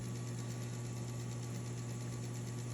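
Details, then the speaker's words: Goodwill typewriter with new motor and typing belts, problem fixed: steady low motor hum with faint even buzz, no clatter or slipping. Earlier failure to power on was a detached lever on the internal power switch; motor now runs smoothly. "so this one i paid 12 dollars at goodwill about a year and a half ago so problem is fixed new belts are on it is working fine"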